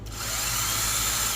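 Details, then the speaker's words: Honda Pilot 3.5L starter, click-but-no-start diagnosis, motor bench-powered by booster pack via jumper to M terminal with solenoid bypassed: fast even high whine spins up with steady pitch, no grinding; motor spins fine, solenoid tested good. "that mean it's spinning and that's good but it's not engaging it's not pulling in because we bypass the solenoid"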